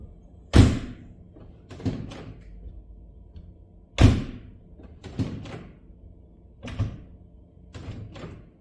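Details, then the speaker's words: Mercedes EQS 450 (W297) before door soundproofing: door closes and knocks on the door sound thin, hollow, like empty sheet metal, showing little sound deadening. "확실히 문을 닫을 때 텅텅빈 소리와 도어를 두드렸을 때 빈철판 소리가 나는 걸 들으셨죠?"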